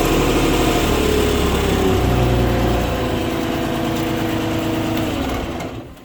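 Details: Bobcat 553 diesel after noise was traced to an oil pan drain hose plug: steady chug at fast idle with no slapping or knocking on top, then winding down; engine sounds healthy.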